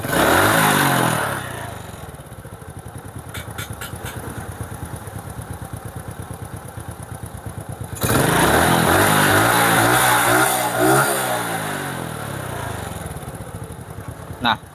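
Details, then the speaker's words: Honda Supra motorcycle with a weak battery, started on the kickstarter: it fires at once and settles into a steady, even idle near 1000 rpm with a brief blip; it runs smoothly. "Jadi, sepeda motor ini menyala dan berjalan dengan lancar."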